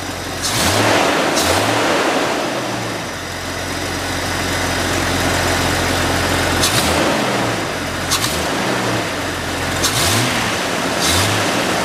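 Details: Jeep XJ after cleaning the throttle body and idle air control valve to cure stalling: settles into a steady, even idle between quick throttle blips, with no stumble or stall, so it is running healthy.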